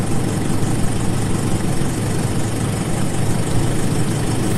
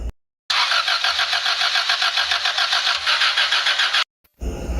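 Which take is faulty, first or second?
second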